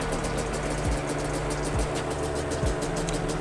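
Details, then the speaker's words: 2005 Yamaha Banshee two-stroke twin during carb syncing with a sync tool, idle cable adjusted to read 10 on both carbs: a crackly, even idle beat that lifts slightly as the carbs come into balance; running smoothly, normal idle. "you can hear the idol coming up and that's exactly what we want and then both carbs should be perfectly in sync"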